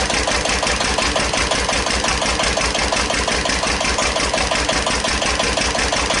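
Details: 1941 Witte CD 12 hp single-cylinder diesel 8000 W generator set, just started after long storage, warming up, no load: slow even thump with clattery top end, idle slightly high; owner suspects fuel pumps sucking air.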